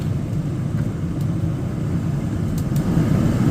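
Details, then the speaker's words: Furrion Chill RV air conditioner after its control panel was replaced, switched to cool: the blower runs on high with a steady, even low rumble and no knocks or squeals, a normal-sounding fan. "Fan's on high."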